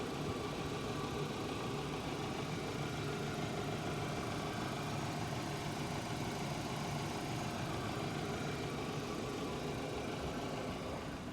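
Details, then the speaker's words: 2008 Hyundai Accent, cold engine, phone placed on left side near gearbox: smooth, even idle hum with no tapping; knock from transmission area appears only when hot, suspected release or input shaft bearing; normal idle. "Слышите, как это звучит сейчас? Кажется, ничего слышного не слышно. Да, всё выглядит нормально."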